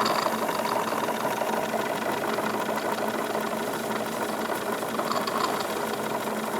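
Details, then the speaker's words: Wilesco D22 double-acting, reversible model steam engine running after the fire was pulled from the boiler, which was building steam too quickly. It still runs strongly with light, quick, even chuffing and mechanical ticking, no knocks: normal running. "going to pull the fire here we're building steam a little too quickly I've pulled the fire out there's no longer heat being applied to the boiler but still running very strongly very nice"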